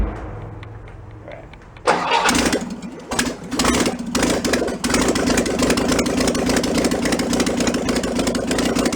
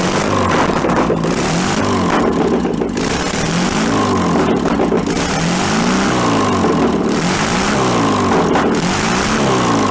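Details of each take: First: 1966 VW Bus flat-four engine from a barn, running on fuel poured into the carburetor, choke on: cranks, catches after stumbles, then holds a high busy idle; carburetor throttle sticking, not returning. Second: Barn-find 1966 VW Bus air-cooled flat-four, run out of the vehicle, carburettor still awaiting rebuild: steady idle that gradually drops as the automatic choke (stepper) warms and opens, running evenly; normal warm-up idle.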